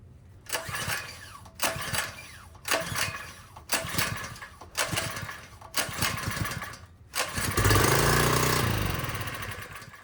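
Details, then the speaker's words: Harbor Freight Predator 1in water pump, 79cc small engine, just after carburetor cleaning; several recoil pulls to prime with coughing, then catches and runs steady with even buzzing note, healthy start and run. "Alright, a few pulls to prime the system and she runs like a champion."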